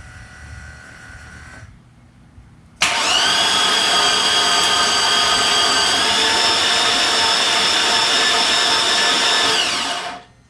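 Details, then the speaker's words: Chevy 5.3 V8 with 252,979 miles, cranked in neutral with spark plugs out and no fuel pump to build oil pressure; fast even whirring crank with no compression chuffs, no oil pressure yet: cranking without spark plugs. "I don't see any oil pressure yet okay because we have no spark plugs all right seems like this have got oil pressure read on that stick in neutral and see if we can crank it up I do it back it over again"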